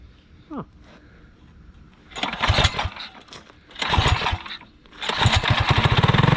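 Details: Alcohol-fuelled 212 single-cylinder go-kart engine after about 3 months stored undrained: a few pulls, then catches and settles into quick, even putter with no misfires; starts and idles fine.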